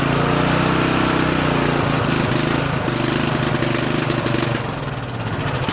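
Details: Murray 14.5 42" Widebody LT lawn tractor engine after muffler refit, carburetor adjustment and choke linkage cleaning: steady, even quick putter with slight dip in speed midway; normal running.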